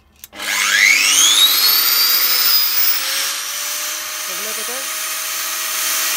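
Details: Angle grinder after gearbox service, gear housing refilled with more grease than the factory fill: motor spins up in about a second to a clean, steady high whine with no grinding or gear rattle; smooth, healthy run.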